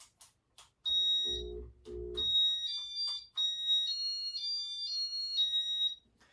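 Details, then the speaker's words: White and brass Casablanca Artisan ceiling fan, control board: piercing high-pitched beeps in an uneven pattern, far too loud; owner thinks the beeper is wearing down; fan also has a hum. "this fan this Fan's board is loud it's really loud yeah that's all I got to say it's loud sounds like the Beeper is uh starting to wear down on this thing"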